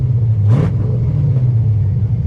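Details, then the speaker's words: Project Corvette engine, warmed up: deep, even, loud rumble revving cleanly with no misses, surging or stalling, no longer shutting off; sounds healthy. "Oh, it's revving up nice and fine. Doesn't shut off whatsoever. We are back in business, guys."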